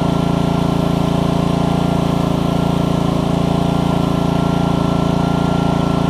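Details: Troy-Bilt pressure washer with Honda GCV160 on a new HiPA carburetor, pump running after an obstruction was cleared by repeatedly pulling the trigger. Owner thinks it no longer makes 2600 but about 1500–1600. Strong steady single-cylinder drone with an even beat, pulling its load smoothly.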